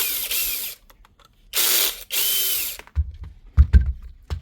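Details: DeWalt drill stuck in hammer mode again after its broken mode-change lever was repaired and it was reused in hammer mode: short whirring bursts with rattling hammer chatter, then loose clunks.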